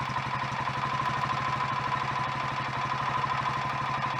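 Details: Royal Enfield Electra X first cold start after rebuild with new big end, conrod and piston: steady single-cylinder thump with dry mechanical clatter; sounds better than before, remaining noise suspected from timing gears backlash, not confirmed.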